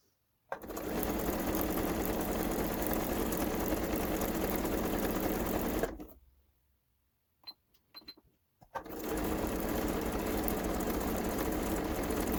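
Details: Kenmore 385-19550 sewing machine being tested after repair of wrong pattern stitches and speed control, speed adjustment screw centred: smooth, even whir about three stitches per second, stopping and restarting cleanly; quiet and healthy.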